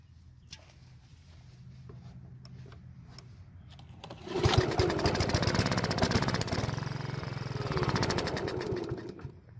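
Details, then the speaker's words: Honda lawn mower stored over winter with bad, contaminated gas, won't start: quiet cranking, then fires after about four seconds and runs roughly on starter fluid sprayed into the carburetor throat, confirming a fuel delivery fault. "now that we know that the gas has a problem I still want to check to make sure that the engine still runs I'm gonna spray some starter fluid into the Carver's throat and try starting it"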